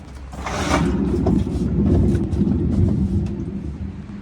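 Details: GE washer GTW460ASJ7WW with a bad lid lock: deep, steady rumbling roar that swells and fades as the drum spins, from worn gearcase bearings; gearcase WH03X33729 replaced.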